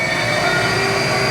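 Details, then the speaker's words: Mazak Integrex e650H mill-turn turning spindle after replacing a relay and the spindle power supply, at its 1600 rpm high-range maximum: steady high whine over a smooth hum, no surging. Normal full-speed running. "so everything's working now see I should be able to go up to 1600 rpm is a maximum which is there"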